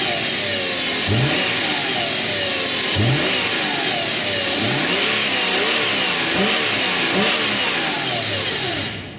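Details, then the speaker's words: 2012 Subaru Outback 3.6R H6, 157K miles, warm: clean revs rise and fall smoothly back to even idle with no knocks, ticks or rattles; normal engine revving. "yes and the engine sounds good I'll rub it up a little bit"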